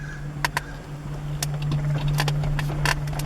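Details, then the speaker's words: 1998 Acura Integra manual, axle already replaced: steady idle hum, then sharp heavy clunks each time reverse is engaged with the clutch in; also bucking when releasing the clutch, cause not yet found. "let's go again reverse major clunk when I'm hitting reverse"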